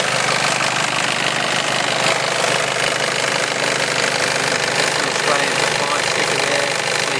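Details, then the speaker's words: Nissan Elgrand diesel, serviced in Japan, with a good battery; it starts on the first turn of the key. Steady, even diesel clatter at idle with no knocks, squeals, misses or strange noises. Normal healthy idle. "Good battery, starts first turn of the key. Does sound like a diesel, of course, but it sounds the way it's supposed to sound. No strange noises."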